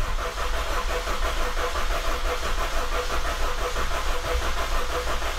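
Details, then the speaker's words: 2000 Honda CR-V after head reassembly and oil pan work, distributor disconnected so it won't start, cranking to build oil pressure until oil light goes off: steady, even cranking, no grinding or slipping; normal starter cranking. "and then i'm going to spin it over crank it over until the oil light goes off on the dash making sure that i have oil pressure"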